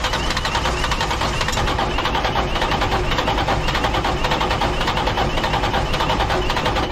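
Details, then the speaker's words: Diesel dump truck that started then quickly died: after priming fuel until the primer is hard to push, heavy uneven cranking never catches and the battery weakens. Owner suspects a bad lift pump. Cranks but will not start. "And it also sounds like I'm starting to wear my battery down a bit. I'm starting to really believe it's a bad lift pump"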